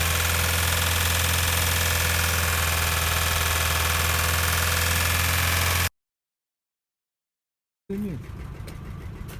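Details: Ford Focus 1.6 about 20,000 km after an engine overhaul, brought in for valve clearance adjustment: loud, rough idle with a steady tapping knock about three times a second, plus heavy smoke. Engine knock at idle; cause not yet confirmed.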